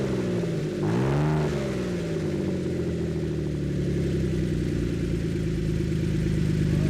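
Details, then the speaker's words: Aging Ford Flex V6 at about 1000 rpm idle with both front flex pipes removed, exhaust open ahead of the catalytic converters, cold 32°F day: quick blip, then a deep raspy bark settling to a steady rumble; exhaust leak ahead of catalytic converters. "so let's see what this sounds like with uh an open exhaust per se [Music] I kind of like it it sounds really deep and really gnarly [Music]"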